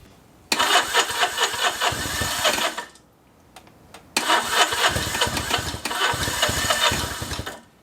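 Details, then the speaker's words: 1964 Honda Benly CA95 150 twin, first start in 30 years after tank flush, new throttle cable, electric start; catches quickly, raspy uneven rev, cuts out, then fires again and picks up cleanly; normal start and run. "now it's time to see if it'll start"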